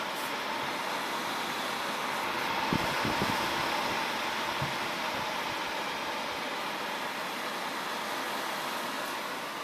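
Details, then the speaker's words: Donated PC with a Foxconn RC4107MA-RS2H board and ATI chipset, side panel off: a constant loud airy roar with no change in speed from the CPU cooler fan running flat out. "okay they just thought you might want to hear this running and just hear how loud it is"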